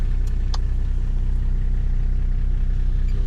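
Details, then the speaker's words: Nissan GU Patrol with a swapped turbo TD42 diesel, at idle. It gives a steady, even low diesel clatter with no misses or knocks and idles nice and smoothly. "So, there you go. Idles nice and smoothly."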